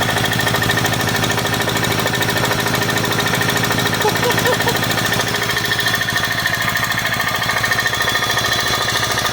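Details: 2004 Subaru Outback wagon with an EJ25 engine, just bought and smoking. A sharp, regular knock of about three per second hammers over the idle without easing. Internal engine knock; the engine is due for replacement.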